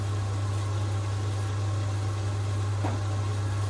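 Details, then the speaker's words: Potterton Promax Combi HE Plus 28 boiler after its expansion vessel was replaced: a steady low hum with a smooth, even burner rush and no bangs. It fires normally, the gas error is cleared and pressure holds just over 1 bar. "oh my god she's fired up [Music] it's good yeah that's fine I'm not worried about that because it's all clean itself lead but we don't have the error anymore which is the gas error I can't believe that"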